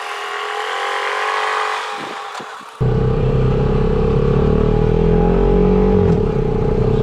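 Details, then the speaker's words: Turbocharged Honda Pioneer 500 on its first test drive, blow-off valve not yet refitted; throttle applied and a thin whistle climbs smoothly with revs, no flutter or stumble, turbo spooling and building boost normally. "well i can hear that turbo get down here into the driveway and we'll give her a little gas see if we get any boost to build"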